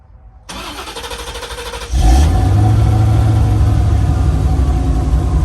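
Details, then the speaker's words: 1989 C4 Corvette TPI after fuel pump module replacement, restarted at 124 degrees: about a second and a half of even cranking, quick catch, smooth steady idle with no misses; normal start and idle. "well shut it off for a minute runs fine for 124 degrees almost like at this temperature all right fire it up again"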